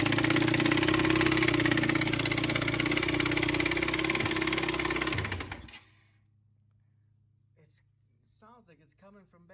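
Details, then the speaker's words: 2008 Kawasaki Bayou 400 quad, restarted: quick, fairly steady knocking about three or four per second over idle, coming from the back of the motor; owner suspects crank, rod or wrist pin knock, possibly transmission, not confirmed. "man that's definitely sounds like a crank knock or a rod knock or wrist pin hmm what could be knocking from the back of the motor transmission"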